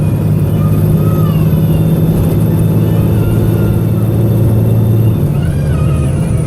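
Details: Arriva North West 3008 (MX59AAY) VDL SB200 bus diesel under full-throttle thrash, recorded December 2017: heavy low drone under load with ragged, uneven pulse, engine misfiring.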